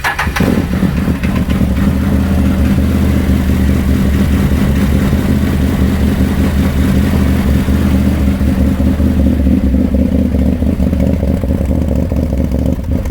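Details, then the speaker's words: Can-Am Maverick 1000 with the CVT clutch removed, run to judge the engine alone while chasing a bottom-end noise: strong, even engine note with smooth throttle and no knocks or clatter; sounds healthy, maintenance light went off. "I want to fire this thing up so we can see what it sounds like. Now that we've taken the CVT out of the equation, we can actually know if the motor sounds good or not."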